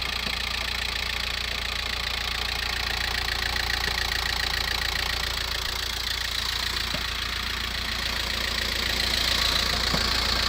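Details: VW T5 1.9 L 102 hp diesel idling after a cold start, unused 24+ hours: steady fast metallic knock of three or four a second that stops with the clutch pressed and fades after about seven minutes. Engine or gearbox source unclear.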